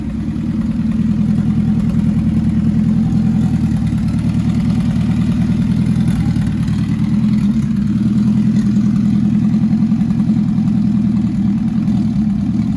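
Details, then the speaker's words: Nissan MR16 engine swap (10k rpm build) settling in after first start, idling with good oil pressure and no leaks; steady, even engine note, smooth unbroken rhythm, no knocks or ticks; running great, normal running. "all right so it's running great"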